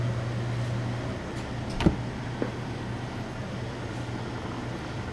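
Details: Antique Frigidaire W-5 refrigerator with condensing unit, started after charging via cold control: low, steady hum with a few faint clicks; old compressor runs smoothly and quietly, normal running.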